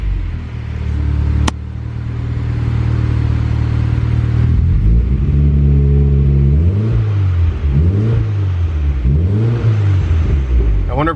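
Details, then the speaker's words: eBay turbo kit Honda Civic with new injectors and an eBay distributor, TPS code and check engine light: steady idle, but each throttle blip swells and sags unevenly and the engine wants to die. Cause unclear; the distributor is a worry. "it has a TPS code because when I give it throttle it wants to die and it gives me a check engine light"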